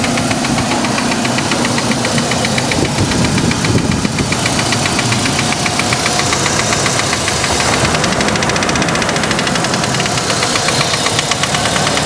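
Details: 2003 Chevy S10 2.2 four-cylinder idling with steady rapid metallic knocking, started after new spark plugs and wires were fitted in correct order; cause unconfirmed, owner fears the worst.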